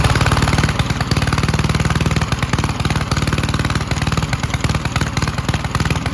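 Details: 1951 Gravely Model L garden tractor single-cylinder, first run after fitting a hotter backup magneto (original gave weak spark) and cleaning an oil-filled carburetor; strong steady low thumping about three beats a second, firing cleanly, no misses; normal running.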